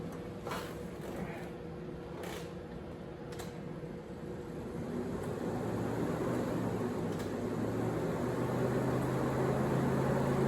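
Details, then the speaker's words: 1987 C4 Corvette with a new in-tank fuel pump, cleaned sending unit and 7 gallons of gas: ignition on to prime, a faint low hum builds and holds steady, pump priming normally. "So new fuel pump's in, 7 gallons of gas is in. I'm now going to prime it, and let's see where our fuel pressure brings us."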